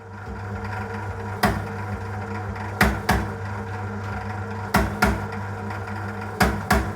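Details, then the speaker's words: Sage/Breville BBM800 Custom Loaf bread maker, about 14 years old, late in second knead cycle (15–20 min in): steady hum with loud uneven clunks every second or two, worsening; loose/worn drive belt, fixed by replacing or tightening it. "So this is typically up to about 20 minutes into the breadmaking cycle and the noise starts around 15 to 20 minutes and gets progressively worse."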